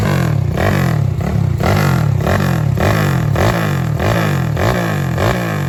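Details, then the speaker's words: Honda Wave 125R, engine built with a 67 piston, "stroke 5", 2 valves: small single cylinder ticking over steadily with a low, even pulse, no knocks or rattles. Tight engine with a light, steady idle; normal idle. "เครื่องแน่นๆนะครับคันนี้รอบเดือนเบานิ่งๆนะครับ"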